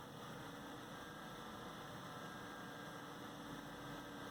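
Constant airy whoosh with a faint steady hum, no rattle or grinding; the CPU cooler fan is simply running loud.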